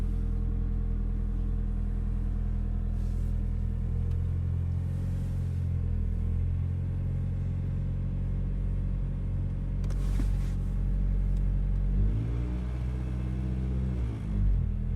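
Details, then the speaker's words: 1994 Toyota Corolla engine cold start, not started at all that day; fires right up into a smooth, even low idle with the fan running and working, no faults heard, normal cold start and idle. "This has not been started at all today. Fires right up. Fan and everything's working currently."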